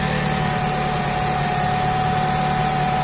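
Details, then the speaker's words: Honda Civic FN2 with K20 intake manifold and J35 throttle body refitted, new oil catch can and homemade air intake, first start-up; steady even four-cylinder idle with constant accessory whine, no misses or knocking, no leaks: normal idle. "Okay. Perfect. Running perfectly, no issues."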